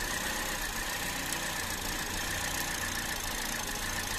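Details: 2017 Toyota Vios automatic at rough idle with vibration and stalling, two P codes stored: uneven, shaky idle under a steady hiss with no clean beat; misfire from a failing ignition coil.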